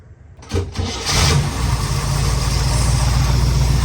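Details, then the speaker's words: 1962 Corvette, warmed up, after distributor service (filed point contacts, lubricated cam) plus coil and wiring fixes that cured a hard start: brief crank, fires almost at once and settles into a steady, even idle. "uh it starts right up now so uh turn the key off turn it back on starting right up and that's the way it should be"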